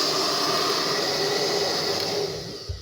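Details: Hair dryer (6000 Turbo) after cleaning, originally noisy because its fan had come loose from a clump of hair underneath: steady even airflow and smooth motor tone, no rattle or scraping, then winds down; runs normally.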